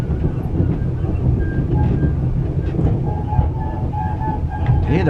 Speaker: squeaking noise you know I can't believe listen to that squeaking noise in the sleeping car